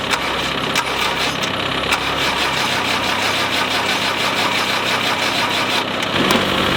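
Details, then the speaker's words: Land Rover 90 naturally aspirated diesel not started in 8 years, cold snowy day, batteries going flat: uneven catching, irregular knocks over a ragged clattering run; rough, intermittent partial firing. "well that's it it sort of started ish a little bit i've had enough"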